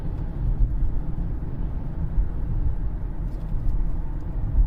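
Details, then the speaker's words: 2013 Cadillac CTS 3.0 RWD cruising on test drive after repair (differential replaced; had 40–45 mph vibration, driveshaft phasing marks removed): only steady low road rumble, earlier faint noise gone, slight tire shake remains; drivetrain normal. "guys i don't even hear it anymore like you used to have this faint noise"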